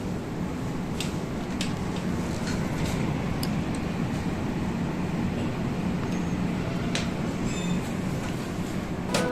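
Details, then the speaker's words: AC indoor unit after fan motor removed and repaired instead of replaced, covers refitted: steady, even airflow rush with soft low hum, smooth with no rattle or grinding. "AC बिल्कुल चिकना। पहले चला गया और अब यह AC नहीं है। कोई आवाज नहीं।"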